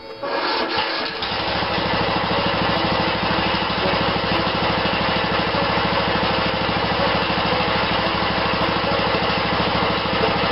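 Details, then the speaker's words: 16.5 HP Briggs & Stratton mower engine, not cranked much in the last week, unclear whether it has a compression release. Brief crank, then it catches and holds a fast, even beat with a bright exhaust buzz: starting and running cleanly. "I don't know if this thing has a compression release or not but I can hear it turn until it hits that compression point and it kind of like uh um hadn't been cranked much in the last week I suppose it"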